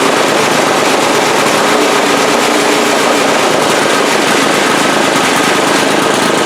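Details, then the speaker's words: 2002 Briggs & Stratton 3.5 HP push-mower engine from the trash, with no blade or heavy flywheel fitted: uneven running with irregular spits and misses; sputtering, black smoke puff, carburetor diaphragm or rebuild suspected. "did see a little puff of black smoke it could just be the diaphragm in the I could just be the carburetor need and rebuild letting too much fuel through but these engines do not run very good without a either a heavy flywheel or a blade on it"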